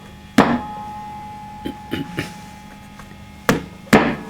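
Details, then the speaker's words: Fender Hot Rod Deluxe III unused for about a year, with blown fuses and no reverb; each knock on the cabinet brings a sharp crackle over a steady hum. "crack coming when i when i do that so something not quite right there"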